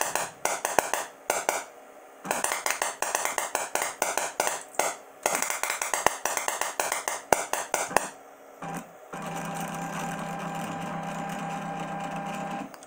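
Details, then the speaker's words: DIY CNC EDM machine cutting in tap water dielectric, electrode motor not turning, CNC struggling to maintain gap distance; sharp snaps in uneven bursts with long gaps, then a steady buzz; owner suspects too much capacitance causing big, infrequent sparks; irregular discharges. "tells me that we're gonna have to change this a little bit I think I've got too much capacitance it's causing too big of a bang and not often so I think more capacitance actually bit me in the butt"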